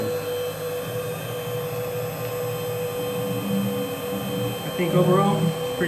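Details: Gatton CNC router, 110V 1.5kW water-cooled spindle with inverter, DDCSV controller, while cutting: steady even spindle whine, no rattle or pitch wander; normal spindle running.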